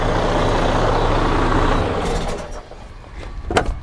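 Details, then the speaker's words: Detroit DD13 diesel in a Freightliner Cascadia after repair of out-of-timing camshaft damage and a replaced housing, previously making a loud internal noise: deep, even running with no internal clatter or knock. "you can really tell the difference how we sounded before"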